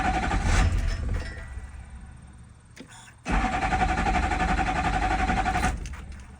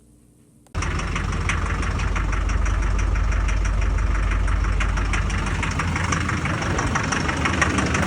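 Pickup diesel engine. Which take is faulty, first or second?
first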